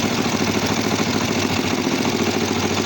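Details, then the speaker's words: Kawasaki GPZ 500 café racer that was hard to start and misfired: lumpy, uneven twin idle with an unsteady beat before adjusting the carburettor balance screw; the carburettors are out of sync. "Venga, pues vamos a arrancar. Están descompensados y vamos a darle al tornillo."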